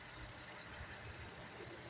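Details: Car engine idling after MAP sensor cleaning, following spark plug misfire blamed on clogged fuel injectors and cooking oil added to the tank: low, soft, even idle with no stumbles, misses or knocks.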